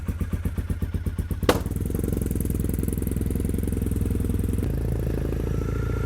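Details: Triumph T100 motorcycle started after sitting in the garage most of the year: uneven pulsing at first, then a steady, even low exhaust beat, a normal warm-up idle.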